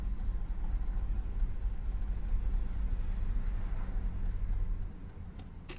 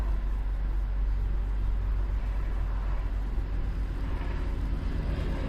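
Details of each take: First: 2003 Mercedes-Benz E-Class 3.2L with 177,000 miles and a crank-no-start complaint: lumpy, uneven low rumble that stumbles irregularly under a door chime; runs very rough, and current capture shows dropouts from a badly worn fuel pump. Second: 2003 Mercedes-Benz E-Class 3.2L, previously crank-no-start with a suspected fuel pump, after starting: low, even rumble holding steady with no stumbles or misses; engine idling smoothly.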